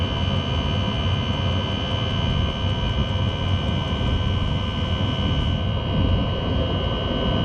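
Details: Chinese diesel parking heater, after a quieting attempt: steady deep jet-like roar with a constant thin high whistle; noise thought to come from the exhaust, not the heater, and owner suspects the motor bearing. Attempt failed.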